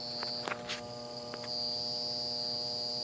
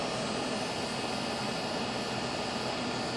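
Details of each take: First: Goodman AC condenser, hot day, outdoor fan not running and not cooling: steady electrical hum with no fan or compressor starting, from a failed, swollen run capacitor; compressor likely not in thermal overload. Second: Goodman outdoor AC condenser, fan and compressor running steadily after a blown capacitor was replaced, with an even airy rush and a few handling clicks; the unit was later found slightly overcharged with 0 superheat.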